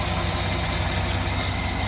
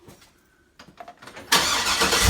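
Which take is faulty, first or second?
second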